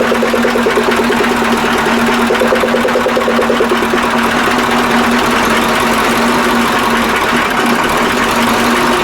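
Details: KAMAZ 65225 Euro-2 diesel truck, reassembled after an engine-knock repair, first start: loud, steady idle with even clatter and no distinct knock; owner hears only a very faint metallic sound, from an injector line, after the knock was eliminated.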